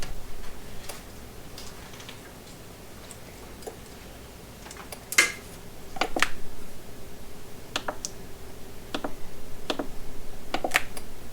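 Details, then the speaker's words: Charger set to AGM on a deeply discharged AGM battery: sharp, uneven relay clicks over a low hum as it keeps cycling, showing bad battery and unable to detect the battery. "and you can probably hear that it's clicking because it doesn't want to doesn't want to acknowledge that the battery is"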